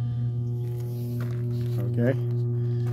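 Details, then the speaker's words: Whirlpool direct-drive washer switched on: steady loud low hum with no spin-up, motor stalled even after capacitor replaced; likely bad motor, to be replaced. "that's uh more than likely that's that's a bad motor okay some people can fix that uh Rectify that if it's the back capacitor"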